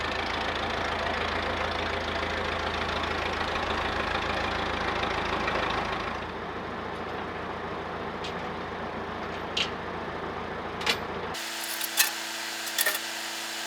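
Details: Massey Ferguson 50HX backhoe loader, 4-cylinder Perkins diesel, hydraulic pump newly connected to engine, leaking arm cylinders: diesel steady under hydraulic load several seconds, then drops to quieter idle; engine and pump working normally.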